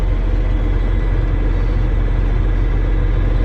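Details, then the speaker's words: John Deere tractor with 6,700 hours, idling in roughly 90-degree Texas heat: steady, even diesel rumble with no knocks, misses or rattles, sounds healthy and tight; normal idle. "Yep, that's a neat tractor. Still got a lot of life left in there."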